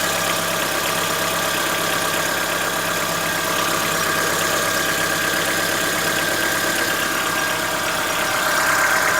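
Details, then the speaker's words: Chevrolet Onix 1.4 2014-15, petrol, cold start on a windy day: rapid, slightly uneven diesel-like tapping over idle lasting about 10 minutes, present since new; owner suspects lifter knock, dealer calls it characteristic. "Logo após a partida, começa a fazer o barulho."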